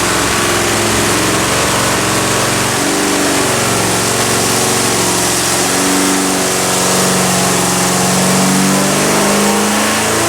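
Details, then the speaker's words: Carbureted V8 on a dyno after float level and idle mixture set with an O2 sensor, warm: loud raspy roar climbing under load, slightly flat, uneven top end; lean in the secondary, fixed by changing the secondary bowl jets. "Alright, so we got it running, then it was lean in the secondary, so we had to change the jets in the secondary bowl."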